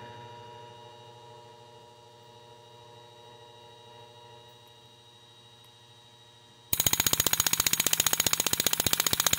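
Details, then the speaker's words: Dry-fire test of a progressive nitrous solenoid via Holley Terminator X after wiring changes, pump running, throttle past 65%: quiet hum, then sharp steady clicking about two and a half per second; solenoid cycling properly. "come over here to the throttle and once this thing hits 65 that solenoid right there should actuate"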